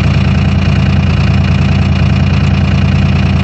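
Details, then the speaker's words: 2001 Dodge Cummins diesel cold start at −4 °F after grid heaters, three-cylinder cold mode: fast steady clatter at one even speed, no misses or knocks; went straight to high idle, healthy cold-start high idle. "never done that before where you fire it up and immediately kicks her into high idle usually go to idle first and then ramp up after a little bit"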